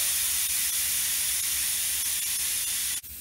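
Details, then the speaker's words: Tire dismounting: valve core unscrewed, steady sharp air hiss for about three seconds then sudden cutoff as the tire empties through the open valve stem, ready to separate from the rim. "once the sound of air leaking stops all the air is now out of our tire so we can go ahead and get it separated from the rim"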